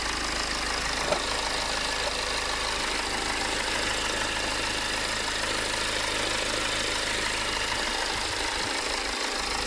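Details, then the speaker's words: BMW 520d diesel previously had a hunting rough idle and stalled at lights and in slow traffic; after the fuel quantity control valve was replaced with a secondhand part, it idles evenly with no surging. This is a normal idle. "as you can see now the car island perfect and i'm gonna show you the engine as well now and compared to early on it's pretty much good"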